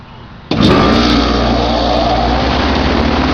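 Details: Goodman packaged heat pump, camera set on top of unit, thermostat lowered from 81 to 79 to start in cooling mode: sudden steady hum and airy rush settling into an even drone; clean normal startup.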